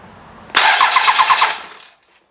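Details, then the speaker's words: 12v Cummins, bench-started for an OBS Ford swap, starter jumped at the solenoid with the fuel shutoff closed: strong, even cranking at about five to six compression beats a second, no grinding or dragging. Normal healthy starter. "jeez okay well it cranks over sounds [Music] healthyish okay well that answers our question starter sounds great"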